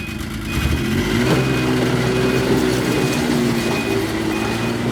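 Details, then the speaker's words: Yamaha RS Viking two-stroke snowmobile after a carb clean: it catches almost instantly on 1/3 choke and settles into a steady, even idle without stumbling. This is a normal, healthy start. "So how that just started, that's how it's supposed to start. No waiting for anything to adjust or think about itself. 1/3 choke, bang, it should just start."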